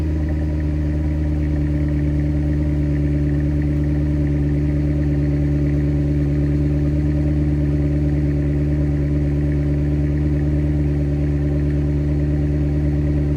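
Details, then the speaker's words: 2007 Mercedes-Benz CLS63 AMG (W219) cold start after battery replacement, first start in about 6 months: strong, smooth deep rumble at steady fast idle, no knocks or ticks; healthy. "And then we'll start it up. This is going to be the first time it starts up in maybe 6 months."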